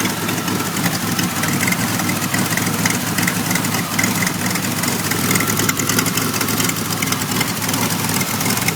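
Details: 1991 Pontiac Firebird V6 still setting codes 33 and 43: ragged, uneven idle with irregular stumbles and pops breaking up the firing; rough idle, cause not yet found.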